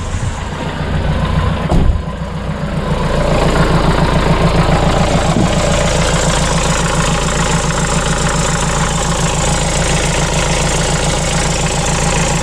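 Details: Vauxhall Vivaro diesel van after a temporary fix to a holed fuel priming bulb and fuel line: catches after a short crank and settles into an even, steady diesel clatter at idle, out of gear, with no misses. Running normally.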